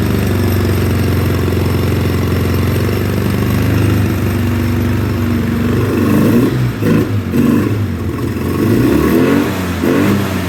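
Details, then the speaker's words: 2009 Polaris Sportsman 800 ATV, sat about six months, fuel pump not running, injectors possibly gummed; lumpy idle and weak mid-range, but from mid-range to wide open throttle it holds a strong, steady high-rev roar, then drops back unevenly. "but from mid-range up to wide open throttle it runs great as you heard it was revving up really good"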